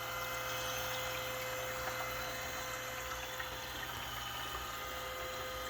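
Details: Perkin Elmer 198072 furnace cooling system chiller running with glycol water, its hose looped back to itself; quiet steady motor hum with soft trickling in the tank, like an aquarium, no grinding or cavitation. Normal pump circulation.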